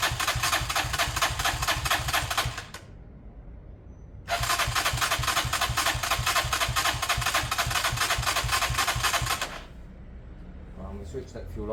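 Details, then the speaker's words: Old Lexmoto motorcycle with many missing parts, choke off, possibly warm from the sun, carburetor dripping fuel: quick even starter cranking without firing; cranks but will not start, carb to be cleaned. "that sounded fine to me it sounded like an engine that was going to run"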